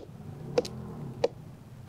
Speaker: One common tool is the sounding mallet, which is a woodworker's mallet that you can tap (mallet tapping) to listen for that low, dull pitch that is associated with decay.